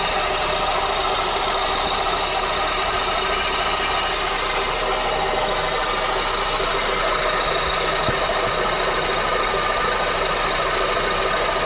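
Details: Honda K24 engine idling: steady gritty grinding and rattle from engine compartment, first thought top end; went away with belt removed, spinning pulleys showed AC compressor as cause.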